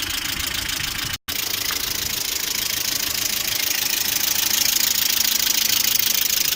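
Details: Lada Priora with 21126 engine, oil temperature about 90°, idling: light steady top-end ticking about three per second over hiss, hydraulic lifters knock cold and hot; oil viscosities and oil pickup changed without effect, cause unconfirmed, owner suspects throttle-body area.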